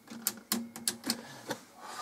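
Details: Cassette deck found at a German scrapyard: crisp clicks and clunks as the play and pause keys latch and release, then a quiet even whir; transport working, only one lamp out.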